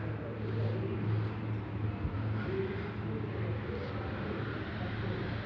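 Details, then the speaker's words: 2011 Fiat Scudo with a freshly built engine, diesel idle: a low, dull knocking under the rumble that stops when the clutch is lightly pressed or the pressure plate is pried off the release bearing; worn dual-mass flywheel. "я чуть-чуть прижмешь сцепление стук проходит отпустишь стук появляется когда монтировкой чуть надавишь в обратную сторону чтобы оторвался от выжимной от лепестков штук тоже проходит"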